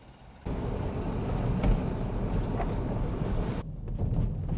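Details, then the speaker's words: BMW X3 road test over bumps after lubricating the center divider panel that rubbed against the sunroof: only steady low road rumble, no creaks or ticks from the roof; sunroof noise gone. "没有了啊，花小钱办大事。"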